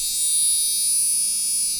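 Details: Gigabyte GA-965P-DS4 rev1.0 motherboard at power-on, not booting with RAM in slots 1 and 3: steady unbroken very high-pitched beep from the motherboard speaker, gone when speaker unplugged; continuous beeper alarm.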